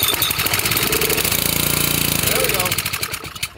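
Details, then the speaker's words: Pressure washer petrol engine, stored without fuel, primed with two-stroke mix, choke now off: ragged, uneven chugs for a few seconds then falters and dies; owner suspects a stuck carburetor, unconfirmed. "right she needs more help she might have a stuck carburetor now could very well be but we'll we'll nurse it it might come back you know it was stored without fuel"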